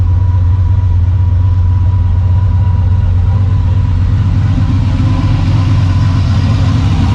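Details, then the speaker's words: Freshly rebuilt "Maliboom" after its first fire, let cool, then run with the exhaust rigged open: a deep, loud, even open-exhaust rumble with no knocks or ticks. The only leak found was the fuel pressure sensor. Normal running. "so give me a minute let's let this thing cool off we'll rig that bad boy open let's make some noise"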